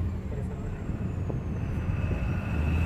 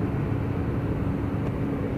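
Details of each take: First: Tata BS6 phase 2 Cummins diesel after fixing a diesel line problem, climbing from rough idle to 2500–2600 RPM at full throttle, rail pressure about 1300, no fault codes; smooth rising whine, no stumbles; normal revving. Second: Tata BS6 phase 2 Cummins diesel, no fault code, accelerator pressed fully: flat low drone with no rise, engine won't rev past about 10–13 (×100) rpm and stalls; fuel starvation from a kinked diesel supply pipe.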